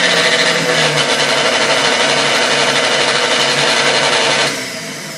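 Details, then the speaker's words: KitchenAid K5-A stand mixer being tested before restoration, with no real speed control, only second to high speed. It gives a loud buzzing whir with a coarse, uneven rattle before winding down. It sounds rough, cause unknown, and it needs parts. "you know and then it sounds rough as well so yeah I have no doubt this he's gonna need some parts"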